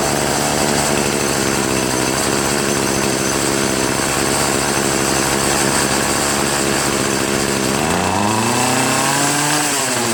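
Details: Troy-Bilt TB70SS 33cc two-stroke trimmer, unused for three years, on fresh gas-oil mix on a 37°F day, after adjusting the carb hi/lo mixture screws to cure bogging at high throttle: strong steady full-throttle scream and clean return to idle.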